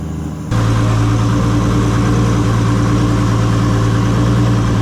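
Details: Toyota 2JZ-GTE in a Commodore project car just after first start; one cylinder had no spark output, found and fixed with a wire. Catches and settles into a strong, even deep run with steady firing, no misses or knocks.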